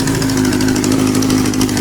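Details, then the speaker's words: Kawasaki Z650B in restoration, on carbs with only float bowls off: smooth, even idle with steady burble, now running on all four cylinders; number one pipe getting hot for the first time. "wow I think it's running okay now number one pipe is now getting hot for the first time ever"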